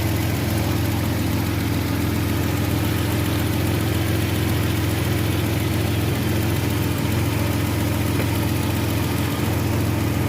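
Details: Older Nissan Maxima: steady, even low hum at idle with no stumble or dropped beats; smooth, settled idle.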